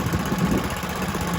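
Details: Kohler K91 single-cylinder petrol engine, first run in six years after freeing a stuck carburetor float and rigging a replacement for the rotten exhaust. Steady low thump with a smooth hum, no knocks or misfires; runs lovely.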